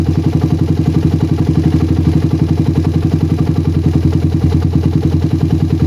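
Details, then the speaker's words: Single-cylinder motorcycle with PWK carburetor that ran rich at low RPM, after the fix and air-screw rebalance: even, steady idle with a regular low pulse unaffected even when the slide is pressed for a long time, no hunting; normal idle. "Oke sudah enggak ada pengaruh sedikit pun ya ini skap saya tekan-tekan sampai agak lama"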